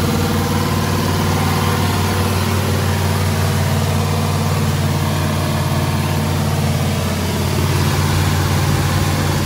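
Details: Freshly rebuilt carbureted "Frankenstein" truck engine after moving the idle control forward to lower the too-high idle: a steady, even low rumble with no hunting or surging. The idle is now correct, and the smoke is residue burning off.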